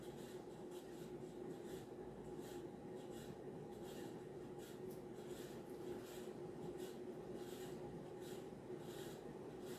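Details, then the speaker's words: 52" Banvil Emperor ceiling fan on high, on variable speed knob, running in reverse only with slight wobble; steady hum under dry rasping scratch pulsing with rotation from worn bearings. "yeah so it does have bad bearings uh you can hear the bearing noise"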